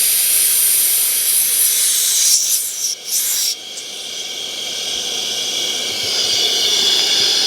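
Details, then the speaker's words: Off-road truck tire air pump bought about a month ago, run from a solar battery bank: loud, steady, high-pitched hiss with no motor note. Air is leaking somewhere, and the pump lets air out of the tire; the owner suspects a faulty unit. "I don't know if you can hear that, but there's air leaking somewhere."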